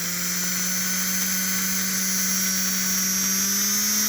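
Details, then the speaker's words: Rebuilt Flyer DC motor (armature polished, some cupping remains) in locomotive #2, speed rising through 60 to 70: smooth steady high-pitched hum creeping upward with speed, no rattles or roughness; runs healthy. "oh listen to that thing when you don't have it vibrating on the table it's just a hums 60 70"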